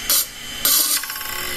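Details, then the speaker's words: Hard drive with a deliberately scratched platter: sharp bursts of harsh scraping, then rapid light ticking as the heads drag across the damaged platter surface, a head crash. "whoops head crash that's the sound you'll hear just minor tick tick tick outside inside your computer when the computer heads crash because you've damaged the plate the"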